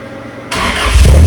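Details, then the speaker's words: Cold start after the exhaust was welded up and transmission fluid changed: engine catches and revs into a loud, deep, steady exhaust roar, chainsaw-like, with no puffing or ticking leak; still loud but better, running normally. "better still loud AF but better that sounds like a proper chainsaw I think we're back in Action"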